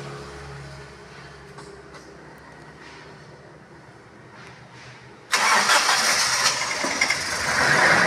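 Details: Petrol Toyota Innova started right after fitting a larger 75 Ah battery: quiet for five seconds, then the engine catches cleanly and settles into a steady, even idle; healthy start.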